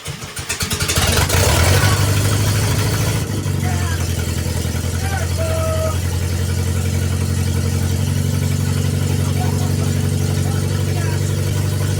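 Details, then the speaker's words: International Scout 800A after years stored in a barn, first start after a wiring connector repair: fuel pump primes, cranking catches after about three seconds, then a steady, even low idle; normal start and idle. "what do we got fuel pump's [Music] priming it's firing"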